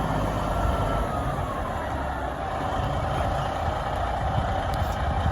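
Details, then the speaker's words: Peterbilt 10-wheeler 4,000-gallon water truck used off-road, Cat power (owner guessed a Cummins around 400, unsure): deep, steady idle, even with no knocks or misses; runs healthy. "We'll give you a little demonstration here. Sounds really good. Pretty good. Sounds good."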